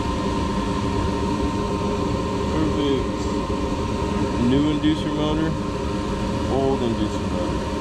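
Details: Furnace heater call; the customer had complained of loud screeching and the heater not working. Steady, even mid-pitched whir with no squeal or buzz, inducer spinning so fast it looks still; normal running.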